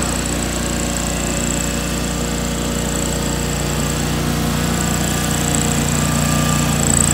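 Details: 2003 John Deere X485 garden tractor, 25 hp liquid-cooled Kawasaki EFI engine, about 660 hours, fuel pump just replaced: steady, even twin-cylinder drone at constant speed with a faint high whine, no misses or knocks; normal running.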